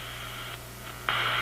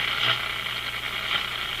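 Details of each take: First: Zenith G615 tube radio (chassis 6G05), no antenna: steady buzzing hiss over a low hum that jumps louder, RF interference from an office computer's power supply in sleep mode about 20 feet away. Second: Zenith G615 tube radio (chassis 6G05, six tubes, no transformer) on first power-up with no antenna: steady hiss and crackle over a faint low hum, rising and falling; normal static from nearby noise sources, set working.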